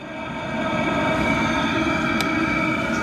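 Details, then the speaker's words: Diesel parking heater in a camper van, heard via its exhaust under the van: steady, even rushing drone with a faint regular pulse and no knocking or misfire; heater running normally. "all right gang you can hear the exhaust from the diesel"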